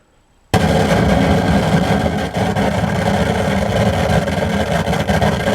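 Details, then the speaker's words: Pioneer SA-8800 Mk2 amplifier after re-capping and protection circuit repair: harsh, dense crackling and spitting bursts from the speakers the moment it powers up. "Yeah, crackling really bad. So we have problems, Houston, as it said"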